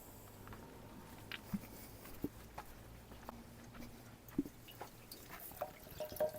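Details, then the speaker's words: 1947 Farmall Cub tractor, engine off, being filled with water after reassembly: soft gurgles and drips as the cooling system takes water normally with no visible leak, only a possible minor drip; reused hoses. "Can hear it gurgling. So, it's taking water and I don't see it dropping on the ground anywhere."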